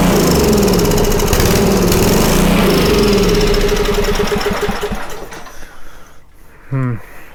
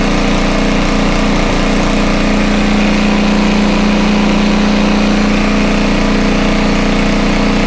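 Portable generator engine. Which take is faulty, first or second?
first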